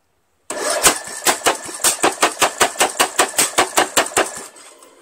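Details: Briggs & Stratton 17.5 HP engine on a Craftsman lawn tractor, muffler removed, battery charged overnight, after numerous failed attempts: steady starter cranking with even compression puffs about 2.5 per second, never fires; crank no start, cause unconfirmed.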